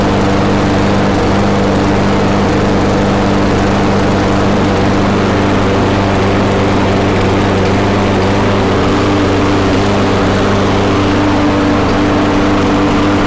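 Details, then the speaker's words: Briggs & Stratton Quantum mower engine after final governor adjustment, close-up mic: steady high-pitched drone holding one speed without hunting, minor unevenness and spitting; governed speed correct, carburetor needs fine tuning. "so it's spitting back and forth a little bit because it needs to be tuned a little bit better but the engine speed is good to go"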